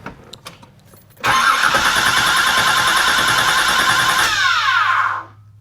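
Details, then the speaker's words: Flooded salvage 1986 Nissan 300ZX, crank attempt: the starter spins steadily for about four seconds and never catches, with no fuel pump hum heard. The gauge shows no fuel, and a removed or missing immobilizer is suspected. "that's kind of cool sounding I don't hear a fuel pump I don't either it also doesn't show that has any gas oh really has none"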